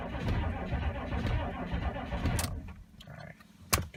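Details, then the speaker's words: 6.5 turbo diesel dually, cold start in snow without block heater: sluggish cranking about two turns a second, stops without catching; two new batteries, owner suspects very old starter or missing big-three/starter wire upgrade. "she's not cranking fast there's two brand new batteries in here"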